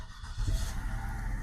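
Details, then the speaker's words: 2009 car (marketplace purchase) with previously dead battery, charged and tested fine, makes a short crank and catches at once, settling into a smooth, quiet idle: a clean start. "Starts up perfectly. I did charge the battery."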